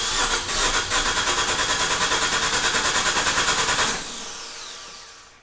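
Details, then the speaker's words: Dallara with swapped Fiat 500 Abarth engine, long-sitting, started remotely from the rear: fast even cranking with steady compression pulses for about four seconds, fuel pressure on the rail, but the engine never catches. "anyways we have it cranking it sounds like an engine"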